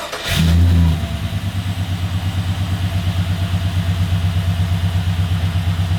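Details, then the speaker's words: LS-swapped Holden HQ on first start with new 2.5-inch stainless exhaust: after a quick blip, a deep, steady burble with even low pulses and no ticks or knocks; normal V8 idle. "that sounds wicked that actually sounds really good"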